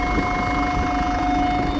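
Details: Land Rover Freelander 2 with a steady high-pitched whine and faint buzz over the running engine that does not follow speed. It has been gradually worsening and also sounds like something still running after switch-off. Cause: worn gears in the electronic throttle body.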